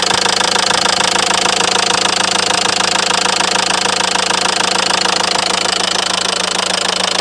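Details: Renault Mégane 3 diesel at idle: knock appeared suddenly after idling a while, sharp and very regular at about three per second, steady throughout; cause unknown.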